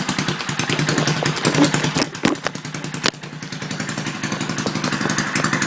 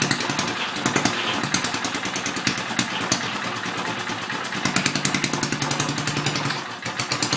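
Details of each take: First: Briggs & Stratton 2 HP engine from about 1959, first start after a complete rebuild, still on the wrong spark plug and filter/pipe and needing carb adjustment: quick single-cylinder popping at fairly steady speed with slight surging; runs well, stalls once. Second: Antique circa-1959 Briggs and Stratton 2 HP single-cylinder, first start after complete rebuild: pops along unevenly, sagging and stumbling, stalls hard; carburetor out of adjustment, needs more fuel.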